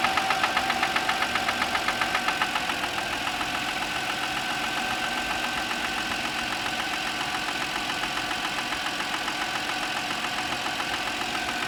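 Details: Audi A6 C6, cold morning start: sharp, regular ticking about three to four per second over the idle, clearest at the start. This is an engine knock.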